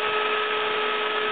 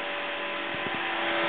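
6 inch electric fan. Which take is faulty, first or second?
first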